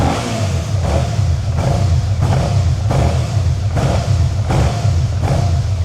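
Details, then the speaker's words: 2011 Suzuki SFV 650 Gladius with the starter valve/throttle sensor unplugged after fault codes and a whining noise: starts only with throttle and keeps running only on repeated blips, surging, won't idle; cause not confirmed. "but it won't idle. And if you hit the starter [Music] with throttle, it starts. Without throttle, doesn't start."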